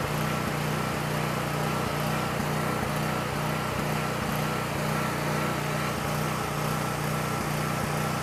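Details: Coleman Powermate 6560 generator, after the fix for running only on choke (carburetor gaskets had been in the wrong order; oil was overfull and smelled of gas), under a 1000 W heater load while the bolt is adjusted toward 60 Hz at 120 V: steady engine drone, constant speed, no surging or hunting; normal running.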